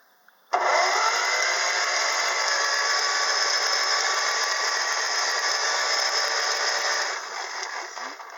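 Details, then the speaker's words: Ferguson TO30 Z129 engine, previously stuck, after an overnight WD-40 soak down the cylinders and pushrod holes, cranked on the same 6-volt battery with plugs out: fast, even starter whirr without dragging. The engine now spins freely. "course, he's spinning that fast with the plugs out, but the plugs were out yesterday too when I was trying to crank it and it wouldn't move. So that is great news."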